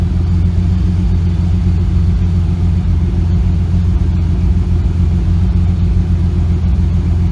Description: Have a slight misfire and it started after the nitrous backfire.